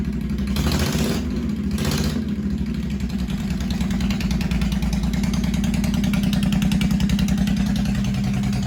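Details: 1985 Honda VT1100 Shadow V-twin, first start in 25 years, old oil filter drained and refitted. Loud open pipes, no mufflers, enricher off, idle raised during carb work. Lumpy, uneven, loping idle that never settles. Rough idle, carbs not yet balanced.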